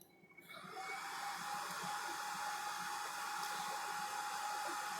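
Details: Model 5830 BGA rework machine running a program after start is pressed: the blower spins up from quiet into a steady airy rush with a faint thin tone. Fans and heaters are running normally.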